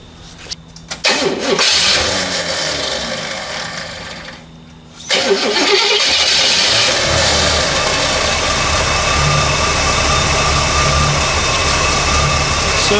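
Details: 1972 Oldsmobile 442, low mileage, apparently original 455 V8, started after alternator refit: first crank stops short, catches on second try, settles into steady even idle with no belt squeal; generator light out, belt running correctly, charging.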